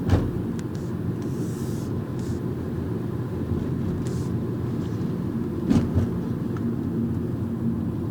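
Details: 2011 Mazda 3 2.0 sedan driving over speed bumps: road rumble with a couple of dull knocks. The intermittent suspension clunk is only sometimes present, and the service centre could not find the source.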